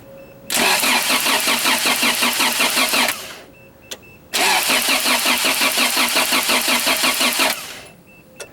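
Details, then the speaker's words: Toyota Celica 22RE engine after gasket replacements, compression test cranking: two bursts with even, steady chug about three beats a second, no limping; cylinder two just under 150, healthy compression. "As you can see, cylinder number two coming in at about 150 as well. Just a hair under 150, but still looking pretty good."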